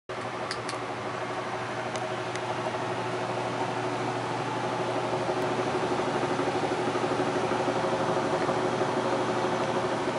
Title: Amana Furnace Making Rattling Noise